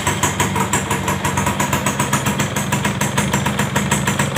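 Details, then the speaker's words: Yamaha F1ZR two-stroke engine before teardown, weak compression and burnt piston suspected; lumpy uneven idle with hard rattly edge, noise from front and middle of engine, clutch area noisy; rough idle. "mungkin kita Hidupin dulu teman-teman gimana suaranya kek cobain hidupin kek kita cek dulu suaranya Suara kasar Seperti apa terjadi"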